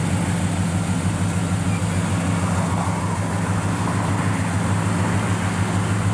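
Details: Restored 1967 Chevrolet C10 Custom with 327 V8 after a frame-off restoration, started and idling: even, lumpy small-block burble with a steady beat, no knocks or misses; fires up and runs perfect, normal V8 idle.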